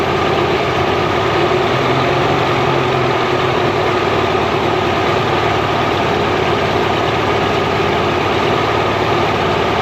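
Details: Mercury inline-6 outboard, timing marks missing, warming up in water: steady drone with slightly uneven beat at idle; misfire from intermittent weak spark on #3 cylinder; coil later swapped.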